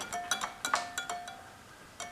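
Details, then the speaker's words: Honda Rancher 350 ATV whose fuel gauge reads all over the place: bright jingling rattles in bursts as the quad is shaken, from broken fuel-gauge float pieces that dissolved loose inside the gas tank. "sounds like some jingle bells in there when i shake the quad around so i'm gonna pop this off"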